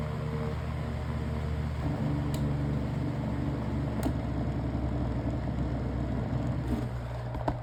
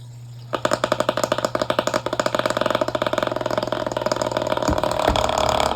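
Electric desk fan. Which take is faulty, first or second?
second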